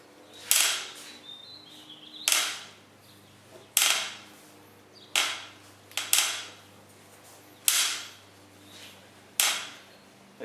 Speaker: riding in a straight line you don't hear it but you put the pressure on the pedals so you gotta push it a little sideways what the heck is that